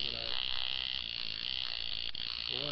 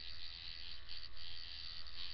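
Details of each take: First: Tattoo machine with the contact/armature gap set too low: harsh, raspy, stuttering buzz instead of a clean hum, so it runs rough. Fix is raising it higher with more gap. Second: Coil tattoo machine after tuning, running at a setting of nine: fast even buzz with a steady low drone and crisp consistent rattle; machine running smoothly and well tuned.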